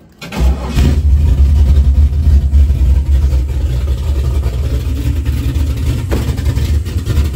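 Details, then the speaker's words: LS-swapped S10 V8 after rewiring: brief labored crank before it catches, then a deep lumpy idle; starter still sluggish, owner plans to rewire the starter. "I still have to rewire my starter because it's still starting a little sluggish."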